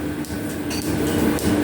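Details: Freshly restored metal planer running on its flat-belt drive: steady hum with a light click each time the belt fastener passes over the pulley, which is normal for laced flat belts; the belt tracks well on the crowned pulley.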